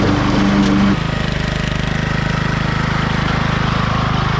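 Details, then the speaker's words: Craftsman LT1000 riding mower's Briggs & Stratton engine, after a backfire and a starter assembly swap: a brief louder burst, then an even, regular putter at idle; normal idle. "see what it does thank you so the motor works works pretty well"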